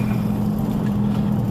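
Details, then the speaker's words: Dodge Durango at road speed: a steady low droning rumble heard over the exhaust, coming from the front left. The owner says it is the wheel bearing. "Yeah, it's making it now. rumble. It's coming from the front left. You hear that? Over my exhaust. Yeah, right there. It's like... That's the wheel bearing."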